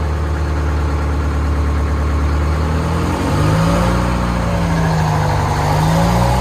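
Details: Old two-stroke Detroit diesel in boom equipment at a Fort Worth auction lot, briefly run: deep steady low rumble settling into an even idle, then climbing smoothly with a rev; healthy.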